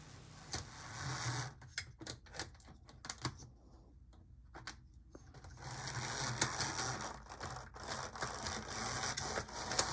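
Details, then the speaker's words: HO-scale model locomotive (HM/Mojano) whirs in bursts with sharp clicks about three times a second, from a gear knocked out of place rather than a cracked gear. "okay so you hear that clicking noise 90 of the time on most other models if you hear that kind of click it usually means that you have a cracked gear but on these hm slash mojanos what you usually actually have is a gear that's been kind of knocked out of place"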